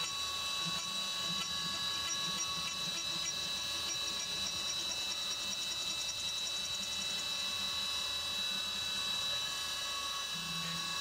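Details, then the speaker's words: CNC 3D side milling of an AR15 high-rail gas block: steady spindle whine and even cutting hiss with no squealing or stuttering chatter as the tool works the back side of the part, because it no longer gouges material there. "And you'll notice it's not getting chatter when it goes on the back side of that part because it's not gouging any material back there."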